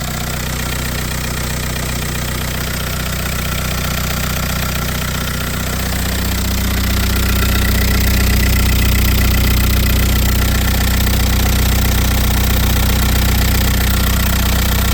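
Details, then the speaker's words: VW Passat diesel started after sitting for a while: loud idle with a steady hard knock about four beats a second and a deep rumble; owner suspects a tandem vacuum pump problem, unconfirmed. "je ne peux pas parler là, c'est vraiment bruyant, je veux dire, le bruit fonctionne, mais il y a un problème avec la pompe Tandem et le vide lui-même"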